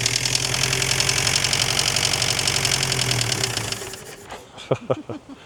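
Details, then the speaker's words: Chrysler Galant 1600 wagon, revived after 30 years sitting and still cold, idles roughly with a fast knocking clatter like an old diesel before dying. Pre-ignition suspected rather than a conrod knock; blowby noted. Unconfirmed. "Doesn't [snorts] sound like a a con a conrod knock or anything. Sounds like a pre-ignition noise or a from here anyway."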